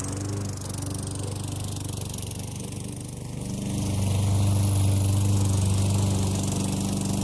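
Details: Craftsman 6.75 HP mower engine swapped onto a Lawnboy self-propelled deck, fresh oil change with the blade fitted, first start: steady, even drone that firms up slightly halfway; runs smoothly with no misses or knocks.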